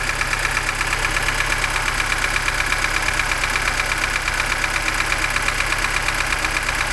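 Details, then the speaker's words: Lada Niva (Zhiguli) petrol engine, warm at idle, after a full rebuild with new chain, pistons, crank and ground head, valves adjusted twice, valve guides not replaced; loud steady metallic knock, about three beats a second, cause unknown. "Они никогда сильно прямо тихо, как иномарке, не работают. Но этот стук слишком большой, слишком велик."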